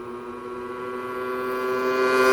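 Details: Yamaha PW50 two-stroke, revived after years in a shed, test ride: buzzy note climbs steadily in pitch as the bike pulls, clean and uninterrupted; engine runs strong under load.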